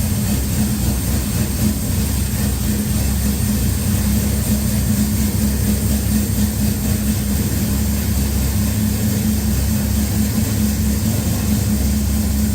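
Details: Henry J engine freshly started with a Sniper EFI and replacement GM HEI module, screw opened, warming up: steady, even low rumble with no misses, knocks or hunting, getting louder as it heats; normal idle.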